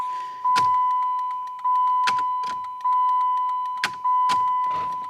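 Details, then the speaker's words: Car's turn signal during repair of body-shop wiring damage, with LED bulbs: steady tone with fast sharp clicks, hyperflash, also with headlights on; needs an LED flasher. "Yeah. Still flashing too fast cuz we need an LED an LED flasher for this."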